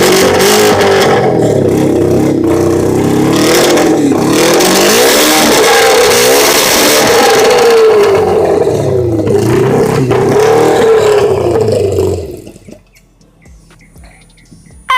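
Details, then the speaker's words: Motorcycle after repair and repaint; revs up and down cleanly several times, pitch following the throttle smoothly, running strong before shutting off; only a little fine tuning left. "Yeah. We got a little bit of fine tuning to do, but that thing is almost there. We almost there."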